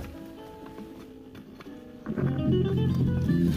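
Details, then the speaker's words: 2005–2013 C6 Corvette, passenger lower door speaker after replacement: music plays with full, steady bass and no buzzing or rattling, where the old speaker rattled badly on bass. "big difference you hear the bass but it's not a bad rattle might be hard to hear but that's way better alright"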